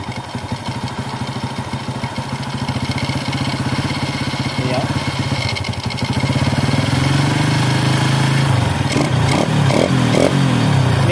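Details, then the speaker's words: Carbureted motorcycle (Honda Grand, Yamaha F1ZR or Honda C70) idling with air screw set rich ("wet"): steady single beat, picks up cleanly on quick throttle blips with no lag; normal throttle response. "Maksud saya, jika kondisinya "basah," akan seperti ini—akseleratornya responsif. Mobil ini responsif, dan langsung menyala di pagi hari, serta tidak ada jeda saat berakselerasi."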